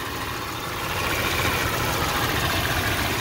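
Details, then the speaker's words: 2001 Jeep Cherokee XJ 4.0 inline-six at operating temperature: steady, even idle with a smooth low rumble and no knocks, ticks or clanks. There are slight belt squeaks and a noisy power steering pump, but the engine idles normally. "everything coming from the engine is just beautiful this is the sound i'm hearing pretty much the power steering uh pump but so far sounds great"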